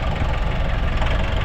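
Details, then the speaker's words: Nissan NV350 diesel at idle with no check-engine light: heavy clatter with a wavering, hunting RPM, plus low power and foul-smelling smoke, and RPM rising then falling with the aircon on. Traced to a faulty suction control valve and clogged EGR. "meron tayong nv 350 na ang idling daw niya naghihingahan sir yung andar niya parang ano ah taas baba Oo naglalaro yung ano niya yung RPM no sa"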